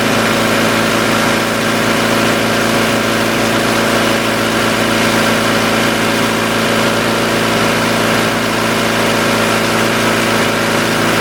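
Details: 1990 Honda CRX DX idling steadily but too fast, no hunting or misses; suspected vacuum leak, hiss near the brake booster, causing the fast idle and poor gas mileage.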